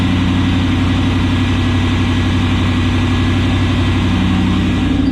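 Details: 1991 Pontiac Firebird, 305 TBI V8 with 177,000 miles, salvage-yard engine test: a steady, even idle with a low rumble and no knocks or misses; sounds healthy and settled.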